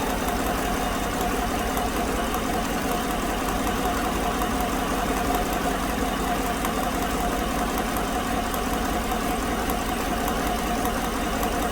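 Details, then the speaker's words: 2016 GM 5.3 V8 truck, AFM tuned out, after new GM bank-2 lifters: fast even ticking over steady idle; number 6 exhaust valve not moving, stuck defective new lifter, intake deactivates when AFM solenoid energized. "ou can see number six exhaust is not moving the number six intake is you can see the number six intake valve deactivates when I energize the solenoid so that put that lifter is just stuck a defective new lifter"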